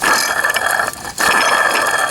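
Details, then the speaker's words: Worn water pump removed from a 2010 Dodge Ram 3500 Cummins 6.7, spun by hand: the loose, wobbling shaft gives a dry, gritty ratcheting rattle, though the pump was not leaking. Worn bearing. "Not a good sound."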